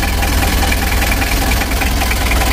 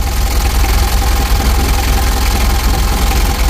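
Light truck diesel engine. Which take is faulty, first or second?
first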